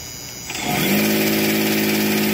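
Quiet at first, then the starter spins up into a steady, even whirr with a firm tone that holds level; normal starter cranking.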